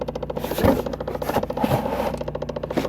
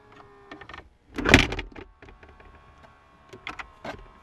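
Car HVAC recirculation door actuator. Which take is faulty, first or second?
first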